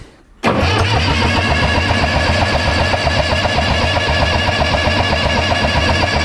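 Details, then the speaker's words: Case 830 diesel tractor, long stored in a barn, fuel lines dry: starter spins the engine at an even beat of nearly four per second but it never fires; no fuel delivered. "we're cranking it let's see if we get some fuel up here no fuel"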